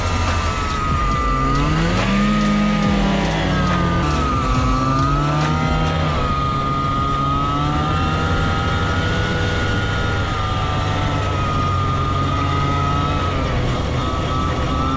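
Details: Arctic Cat Jag 440 two-stroke snowmobile (1982, owner thinks), revived after years sitting with fresh 50:1 fuel and cleaned spark plugs, riding in snow: loud buzzy revving with throttle, pulling strongly and evenly; normal running.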